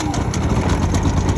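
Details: Generac IQ3500 generator, a year in use on an RV camper, just started on choke with electric start and switched to run: even, steady engine hum with a smooth low pulse, no misses or knocks. Running cleanly before appliances are loaded.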